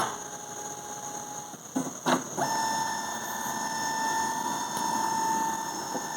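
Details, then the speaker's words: Epson L3250 printer: the motor's steady whine is broken by loud snaps as it fails to pick up paper and returns to a red light, caused by broken pickup roller rubber. "E aí quando a gente foi fazer o teste percebam aqui que deu um estalo bem forte né e ele não puxava o papel e voltava novamente pra luz vermelha"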